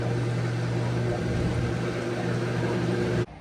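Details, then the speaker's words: Hotpoint HTW240ASK6WW washer taken off a boat, showing codes 31, 28 and 26, in a jumpered spin test: a steady low motor hum with no drum rumble because the drive belt is off; fixed by refitting the belt and tightening the motor pulley. "It should have been spinning. Watch the belt be off, you [Music] dummy. Look at this. I'm so dumb. The belt is off."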